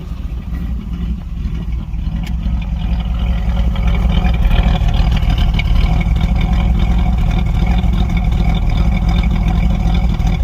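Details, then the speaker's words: 305 small-block Chevy Gen 1 V8 with hard starting, stalling and sudden tach drops, idling after a cruising drive: irregular skips in the exhaust pulses, a few beats dropping out each second; misfire at idle. "If you guys can hear that, but it's skipping. Misfire. This is after a cruising drive."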